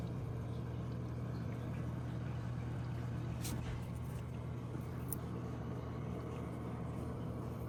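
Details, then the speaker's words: Fluval FX6 canister filter after cleaning and a service kit fixed its buzzing. A low, steady, even hum with no pinging or tapping, plus slight air bubbles after refilling; quiet and healthy. "it yeah sounds as quiet as the other one you see a little bit of water I mean air bubble trickling in just normal since we just filled up this canister after cleaning so everything is uh as good as new"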